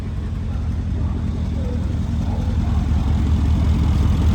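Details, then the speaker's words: Mercedes CLS63 AMG V8 after engine rebuild, first start with engine light still on: deep, steady idle, even low rumble, no stumble or miss, settling as it warms; normal idle (coolant leak found at rear flange afterward). "look at that that's what you call a smooth engine"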